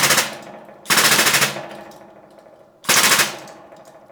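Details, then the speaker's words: Homemade blacksmith press, freshly painted and still tacky, under load: loud sharp creaking, cracking or splintering every second or two as load builds, each fading; cause unclear. "crunching wow it's it's hopefully you can hear that in the camera it's like creaking and cracking or splintering you can hear it doing stuff"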